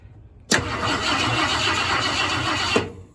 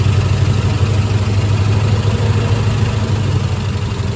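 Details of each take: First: 1972 Ford F-100 Ranger XLT after sitting over 10 years, cranked by jumpering the external starter solenoid: two seconds of brisk, even cranking at about four beats a second, then a clean stop; starter turns engine well. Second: 1972 Ford F-100 Ranger XLT V8, first start after sitting over 10 years, fuel poured into the carburetor bowl with the inlet blocked: uneven, loping idle with an occasional dropped cylinder; misfire, owner suspects a stuck lifter.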